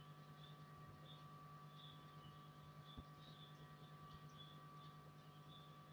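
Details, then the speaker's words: Amplifier built with a Geestar 2.1 remote kit, switched on, heard through the speaker: steady low hum with a fainter high buzz on both channels; ground hum, to be fixed by adding an earth connection. "ആ humming noise നിങ്ങൾക്ക് കേൾക്കാൻ പറ്റുന്നുണ്ട് ഇതാണ് ആംപ്ലിഫയറിൽ നിന്നും സ്പീക്കറിലേക്ക് വരുമ്പോൾ അതിന്റെ ഒരു ഹമ്മിങ് നോയ്സ് ദാ ഇതാണ് വരുന്നത്"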